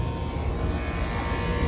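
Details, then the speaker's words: Carrier AC unit not cooling the kitchen: condenser fan is dead and spinning backwards, so the compressor strains against high head pressure with a heavy, uneven labouring drone and will likely trip off on high pressure; no gauges fitted yet. "can hear the compressor i'm going to give it a second it likely can't survive a whole lot longer and it will shut off on high pressure"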